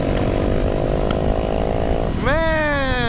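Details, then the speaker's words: Rough, uneven stumbling putter with a brief ragged rev that sags near stalling while riding, possibly a 2016 Yamaha YZ450FX or 2017 Kawasaki Z125; earlier sounded like backfiring, still coughing after; carburetor suspected gunked up, not confirmed. "that thing's running rough, boy. Oh man, it's dead. Is it the carb? Yeah. Just gunked up and."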